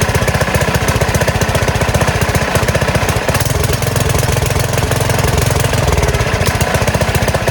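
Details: Small single-cylinder gas engine on a go-kart converted from electric, with a new carburetor, first start in a while on choke at idle throttle: loud, rapid, even firing beat, no sputter or stalls. It is running normally.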